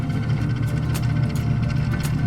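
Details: Refrigerator freezer evaporator fan running with a loud steady hum, buzzy edge and faint flutter; fan was very loose and noisy, replaced.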